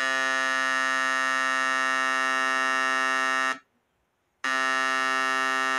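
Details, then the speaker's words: Homemade 12 V inverter oscillator board, speaker connected across the two outputs before the MOSFET stage: steady buzzing 60 Hz oscillation tone, cuts out then returns unchanged; oscillator working normally. "Resumindo você vai testar as duas pontas e sai para ir para os mosfets e ele tem que dar e esse esse barulho alto falante que ele tá oscilando a"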